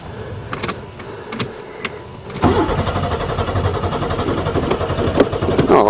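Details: Buick Regal that sat several years, first spring start attempt after installing a battery: starter cranks at a steady, even rhythm for several seconds but never catches. The fuel pump was not heard at first, fuses checked good, then the pump came on. Cause unconfirmed.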